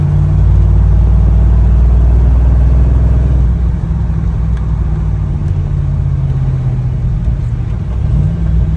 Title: C5 corvette misfire under load. Code p0300 need help!